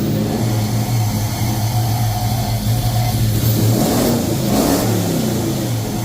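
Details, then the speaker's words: First start of a 1970 Chevy C10 short-bed V8: it runs and revs cleanly but settles to a fast idle of about 1200–1300 rpm and won't drop to the 800 range; idle too high. "well uh it starts it won't idle I'm going to get it to idle next um it wants looks like it wants to idle about 12 to 1300 RPMs um it does not want to idle anywhere in the 800 range at all"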